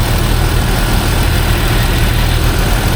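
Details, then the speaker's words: 2005 Jeep Wrangler TJ 4.0L after reinstalling the crankcase vent (PCV) elbow hose as a temporary fix: smooth, steady low rumble at idle, the earlier buzz gone; engine sounds healthy. "So, like I said, it it's not a permanent fix. More than likely, this rubber is going to get hot and expand again eventually, but as for now, it's working while I wait for parts."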